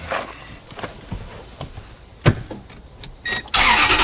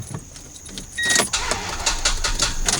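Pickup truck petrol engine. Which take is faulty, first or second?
second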